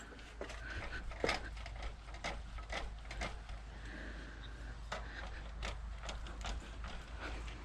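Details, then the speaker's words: Yamaha WR400F front fork after cleaning, oil level set at 100 mm from the top: even rhythmic squishing strokes about twice a second with no gurgle or air slurp; damping is correct with no leaks. "sounds like it's fully set up [Applause] you got no leaks on either side of this"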